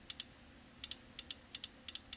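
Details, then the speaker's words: FiTech EFI injector from a 1967 Chevy Nova, on the bench after debris was flushed out of it: crisp doubled clicks in even pairs roughly every third of a second; the cleaned injector opens and closes freely. "and it sounds good so I'm going to rock with that one and I'm going to clean the other three the exact same way"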